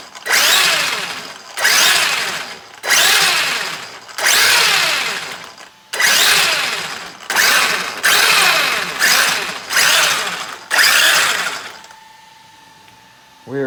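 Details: Traxxas X-Maxx after cleaning sand and old grease from front diff, regreasing and reassembling; front diff had been locking up, blamed on Hot Racing diff cover lacking clearance: repeated smooth electric whir spinning up and coasting cleanly, no clicks or grinding; drivetrain now normal.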